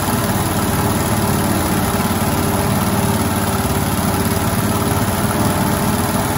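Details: 1971 International 1310 grain truck V8, old farm truck, fresh gas in the bowl, bad accelerator: after cranking it starts into a deep, even burble at idle with a steady rhythm, no knocks or misses; runs smoothly.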